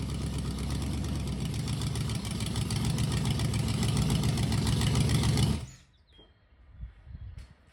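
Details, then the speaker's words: 302 V8 budget rebuild, run with temporary carb and starter, no coolant, recorded from outside; with about 12 degrees timing and 16 inHg vacuum, it idles steadily with a regular lopey beat, no misses or knocks, then shuts off cleanly; healthy. "That should give you a good idea what it sounds like. Sounds good. Seems to run good."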